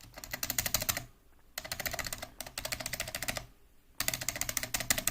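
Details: Mechanical keyboard spacebar with unlubed Cherry-style stabilizer: rapid presses give sharp clacks with a loose, tinny rattle from the dry wire; fix is Permatex 81150 dielectric grease on the stabilizer.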